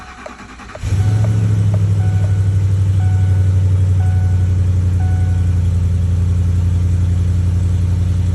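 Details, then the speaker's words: Ford F150 first start-up right after installing new catalytic converters, hood open. Engine cranks, fires at once and settles into a smooth, deep, even idle; sounds better, though an exhaust joint leaks. "tell you what, it sounds better already."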